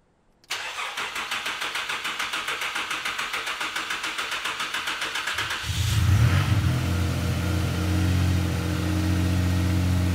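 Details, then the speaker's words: Datsun Bluebird with turbo VQ35DE V6, after fitting bigger G40 turbo, wastegate and 3.5-inch stainless exhaust: starter cranks evenly about three and a half turns per second, then fires into smooth deep idle; healthy start. "About ready to fire it up and see what it sounds like. Yeah, those moo sounds. Hopefully it doesn't moo because of the turbo."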